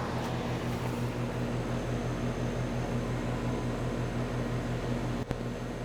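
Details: Home A/C condenser just switched on after a rebuilt sound blanket was installed: steady low hum with even mild pulsing over fan rush, no knocks or rattles; normal.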